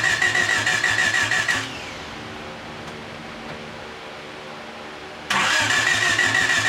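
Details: 1989 Honda Accord LXi coupe after head gasket and timing belt replacement, distributor corrected from 180° off, injectors leaking down fuel pressure; starter cranks briskly about three turns a second, pauses, cranks again, never fires: cranks but will not start.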